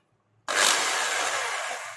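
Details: Electric drill, about 13 mm, after replacing its switch and reconnecting the armature carbon connection, running in reverse with only four cover screws fitted: high whir spins up instantly, holds even pitch then coasts down; residual noise should stop once screws are tightened.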